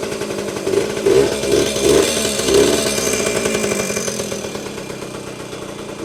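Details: Vintage Yamaha GT80 Enduro (1977–79, exact year unknown), small two-stroke, first start after sitting unused a while, oil just changed, on choke: crisp ring-ding buzz rising cleanly with each blip, settling without stumbling, little smoke; healthy running.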